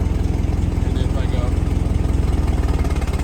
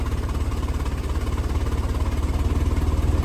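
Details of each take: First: 1923 Ford Model T Roadster with electric start: after pulling the timing lever, engine smooths right out into even, steady chuffing about three and a half beats a second with no misses; normal idle. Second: 1923 Ford Model T with electric start, spark timing lever moved at idle: low, loping idle with uneven beats from retarded spark, smoothing into a steadier rhythm once advanced. Rough idle from retarded spark timing.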